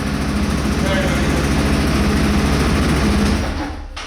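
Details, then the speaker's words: After the loose exhaust heat shield that made a weird noise while driving was refastened, the engine runs with a steady, even note and no rattle or buzz, then winds down. The exhaust sounds quiet and healthy. "It's very good, there is no more that noise. I think that will be super."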